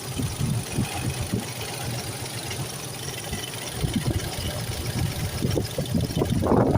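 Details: Toyota 3VZ-E V6 whose earlier howling was traced to the AC pulley: a low, steady idle with no howl or whine, only handling noise near the end; the belt drive sounds healthy.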